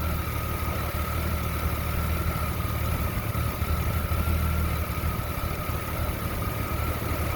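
Six-cylinder idle with an uneven, lumpy pulse about three times a second and a faint steady whistle; it's idling rough.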